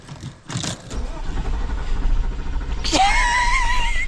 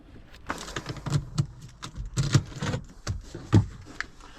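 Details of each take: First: Porsche Cayenne V8, off the road for years, after alternator, starter and intake work: brief crank then catches into a steady deep rumble and revs cleanly; starts fine, coolant still low. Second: Porsche Cayenne V8 after repairs with intake air pipes not all refitted: cranking clunks, then idle rises and dips without settling due to unsealed intake air; ran better once pipes reconnected.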